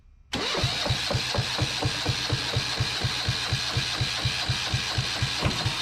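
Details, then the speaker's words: Yanmar 1GM single-cylinder marine diesel from a sailboat, cooling water siphoned from a bucket, water drain had been left open: steady starter cranking, one compression thump about twice a second for six seconds, never catches; cranks, no start; owner then says he knows why and adds throttle. "I don't think that is the reason why it's not starting but let's give this a try now uh matter of fact I know why it's not starting"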